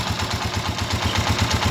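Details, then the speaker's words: TMX 155 motorcycle after replacing the timing gear to cure a cracked, tinny rattle: single-cylinder engine idles with a steady, even thump, rattle gone. Normal idle. "Okay yan nawala na po yung tunog l at saka yung lato sa loob"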